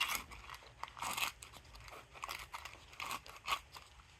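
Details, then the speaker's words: Volvo C70 strut bearing (spring seat/bearing combo) turned by hand: rough, gritty crunching in uneven bursts; bearing so worn it broke apart when pried from the spring seat. "I do need to take this top piece off that's actually the baron had to pry the strut bearing from the spring seat and it came apart actually it broke apart CU it was so worn out"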